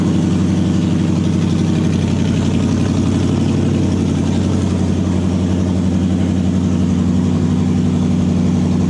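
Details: Toyota 1UZ-FE V8 swapped into a Massey Ferguson tractor, first start after new wiring loom and ECU hookup, oil pressure checked: deep, steady V8 burble at even idle, no knocks or misses; fuel pump and engine working, runs normally.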